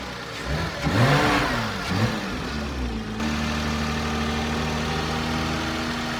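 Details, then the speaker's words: 2005 Porsche 987 Boxster S, M96 3.2L just rebuilt, first start and now at operating temperature: quick throttle blips rise and fall cleanly, then a smooth, steady idle; healthy. "And she is now officially up at operating temperature."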